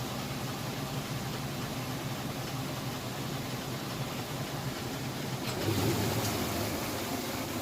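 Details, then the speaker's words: Whirlpool top-load washer, normal cycle with a heavy load of jeans and towels, coming out of final rinse into final spin: steady even whoosh at full speed, no knocking, banging or scraping, in balance; normal spin cycle. "Alright, and it's coming out of the final rinse into the final spin. It's spinning full blast."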